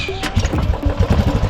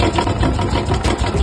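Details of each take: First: Old Royal Enfield Bullet/Classic 350 after engine rebuild with new parts: steady single-cylinder thump about three beats a second with light mechanical clatter left; noise reduced but not gone, mechanic expects it to drop further after running in. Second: Old Royal Enfield Bullet/Classic 350 single at idle before engine rebuild: uneven, heavy thumping and clatter, unusually loud and rough; excessive engine noise, cause not stated; noise reduced but not gone after rebuild.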